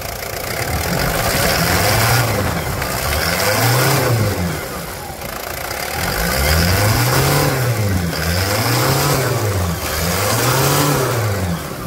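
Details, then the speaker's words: Toyota Land Cruiser Prado diesel, after the original Toyota starter motor was fitted along with correct Prado engine mounts: it turns over and settles into a steady, smooth rumble with gentle rev swells. The start is described as noticeably soft; a normal idle. "vou resumir com duas palavras para fica macia né acabou de falar fica macia a partida dá para sentir uma maciez que se sente assim de longe"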